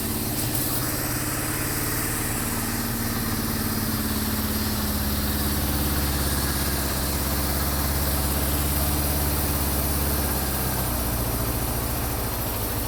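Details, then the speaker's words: Warmed-up 1974 Honda CB550 after static timing set and carburetor synchronization: steady, even four-cylinder idle that rises and settles back smoothly without misses. Idle now adjustable, showing the carbs are synced. "so as you can hear the idle is adjustable now I can put it down as low as like 500 all the way up to 10,000 if I wanted so that's a good way to know that the carbs are now synced"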